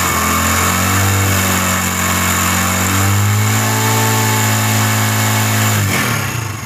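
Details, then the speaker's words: CD 70 70cc single revving up and down with thin metallic clatter over the exhaust from a worn, stretched timing chain, before replacement; left unfixed it can damage the oil pump sprocket and seize the engine. "तो दोस्तों यह motor bike की basic sound है और हम time को भी बचाएंगे और यह इसके अंदर आवाज आ रही है"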